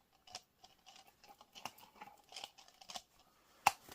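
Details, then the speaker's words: 2003 Saturn Ion with F23 transmission, axle worked by hand after removal: loose gritty crunches and clicks from a worn CV joint with gapped ball seats, the cause of clicking when turning; axle replaced to fix it. "it should click problem solved guys that click was the axle and the axle is now fixed for anybody that's curious this that's what that sounds like"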